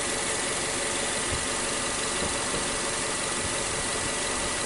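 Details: 2014 Nissan Sylphy after repair of a P0303 cylinder 3 misfire (loss of power, check light), with plug and coil replaced: steady, even idle with no stumble or skipped beats, all cylinders firing; normal idle.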